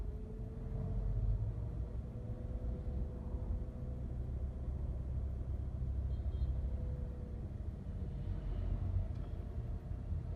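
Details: Toyota Camry ACV40: thin steady whine over heavy engine rumble from the front of the engine, like a broken bearing; failing alternator, diode suspected.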